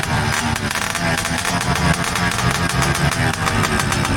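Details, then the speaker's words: Misfiring carbureted engine: uneven, stumbling exhaust beat with irregular pops and dropouts; cause unconfirmed, onlookers suspect it is left on choke. "Palyado ayusin mo baka makatapos ka pa."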